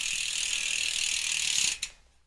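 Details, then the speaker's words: Ribble R872 road bike, Chinese 50 mm carbon rear wheel after replacing a broken spoke: the spinning wheel gives fast, even, crisp freehub ticking that fades as it slows, with no rattle. The earlier odd noise is gone. Normal freehub ticking. "and there's no noise there other than the Hub so there you go guys the back wheel is now repaired"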